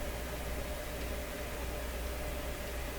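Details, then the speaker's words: Seeburg SHFA1 stereo tube amplifier, dead channel at full voltage with volume up and test input: only a steady low mains hum and soft hiss, no test tone; the channel passes noise but no signal. "something is making that sound it's coming right out of here okay so I think we'd be pretty sure it's not working now"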